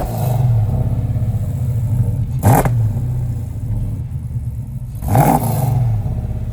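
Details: Custom 1971 Plymouth Cuda (E-body) V8 with welded exhaust for 3-inch collector headers, just started. Deep, lumpy idle with two sharp throttle blips that rise and fall cleanly, no rattles or clatter; healthy engine and exhaust.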